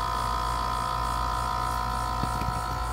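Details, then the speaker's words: Dometic RV air conditioner in cool mode: compressor running and groaning with steady electrical hum, but fan not spinning and motor extremely hot; 116 V reaching fan, it ran once spun by hand, so the run capacitor is suspected. "you can hear the compressor is running you can hear it groaning but the fan is not spinning so what we need to do is see if it's a capacitor or if our fan motor is bad"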